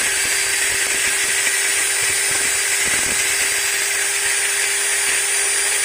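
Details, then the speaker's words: Maktec MT90 angle grinder after replacing the gear set. Steady high whine with a faint rough edge and no knocking or slipping, normal break-in roughness that should smooth out with use. "Nah suaranya seperti itu guys tapi jangan khawatir Nanti studi pakai beberapa kali juga ini suaranya akan halus"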